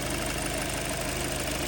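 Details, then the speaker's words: Kia Sportage 3, G4NA petrol engine, during break-in; engine is said to be bedding in and will run even quieter. Owner had complained of a cold knock and oil consumption. Steady, even idle with a smooth low hum and no knock or tick; normal idle. "Так, очередной раз говорю, мотор протирается, будет работать ещё тише, как я и сейчас."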